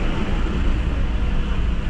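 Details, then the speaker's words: 2011 Hyundai Tucson with check engine light and low power, idling after start: low lumpy idle rumble wavering unevenly, heavy vibration; won't rev past about 2500 rpm, smells of fuel; cause not yet known. "Rough idle. Tapos check engine. Tapos napansin ko sobrang vibration."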